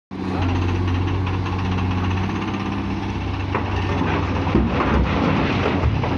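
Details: Komatsu PC210-8 excavator diesel engine producing heavy white smoke: an uneven, rough knocking beat over the idle drone, caused by injector failure.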